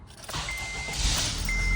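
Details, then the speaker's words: Acura RDX with K23 turbo engine, just started after an oil top-up: engine catches, then a thin high squeak rises over the idle in two bursts; squeak at startup, source not yet found. "And you can hear that annoying squeak. So yeah, we're gonna try to address that today."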